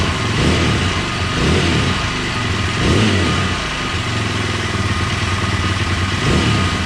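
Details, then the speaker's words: KTM 620 LC4 single after stator replacement: it revs cleanly and picks up crisply on several throttle blips with no misfire, knock or rattle; running fine. "okay so I think we got it she's a running sounds like it's running pretty good"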